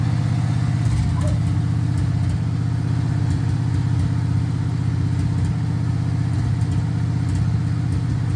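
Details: 1966 Chevrolet Impala, 350 Chevy V8 with Turbo 350 transmission, first start after 22 years: deep steady rumble, even firing, no knocks or misses.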